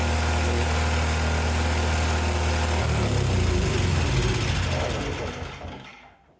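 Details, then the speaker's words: Yard-Man snowblower after a new carburetor, spark plug and primer bulb: small single-cylinder fires and settles into a steady, even beat near four per second, then the note shifts and dies off; normal running. "It works. So I revived this snowblower that I got for 20 bucks online."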